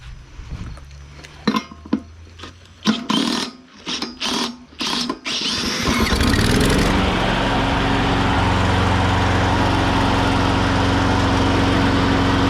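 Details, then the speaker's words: Used push mower, after troubleshooting and several pull-start attempts, settles into a steady run with a slight, occasional stumble; a small miss remains, cause unknown, owner content with it. "i still hear it i still hear a little bit of a miss in there but i think i'm content with that"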